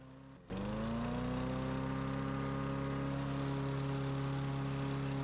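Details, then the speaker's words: Free dump-picked self-propelled overhead-valve walk-behind mower, not running and sitting outside, started after carburetor cleaning and reinstall, fresh oil and gas, old filter: catches on first pull, settles into smooth steady run, no surging; normal running. "well this is going into my trash or treasure series and it's a treasure this was a dump pick mower wasn't running"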